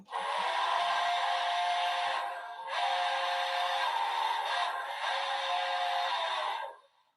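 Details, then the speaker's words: Small speaker after a fix: steady music plays cleanly, thin and mid-heavy but without crackle or distortion; normal output. "all right i would say that sounds great"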